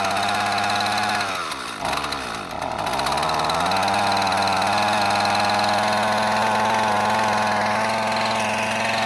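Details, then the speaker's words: Discarded Husqvarna 128CD two-stroke trimmer: dips and stumbles, then settles into a steady blubbery fast idle; running rich. "Yeah, that's running rich. We'll leave it at that."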